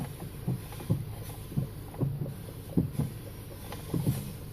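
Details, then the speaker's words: 2010 VW CC after installing B&G S2 sport springs with brand-new strut bearings: dull clunks and pops from the front suspension when the steering wheel is turned. The noise worsened over days, and the cause is suspected but not confirmed. "so when you turn steering wheel hear a lot of noise in the front like a clunking popping"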